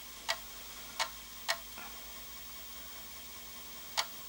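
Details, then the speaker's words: Commodore 1541-II floppy drive after cleaning, lubrication and head cleaning, loading a game: sharp isolated head-seek ticks at uneven gaps, about five in four seconds, far less crunching than before servicing. Normal seek ticking. "okay so far so good it's not making as much crunching noise as it did before so that you know that gives a good sign"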